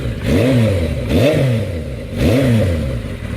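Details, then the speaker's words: Z550 motorcycle: three clean throttle blips rising and falling smoothly, no rattle from the clutch casing that these bikes are prone to; engine sounds healthy and responsive. "Look, there's no rattles from the clutch casing or anything. So, just let you know."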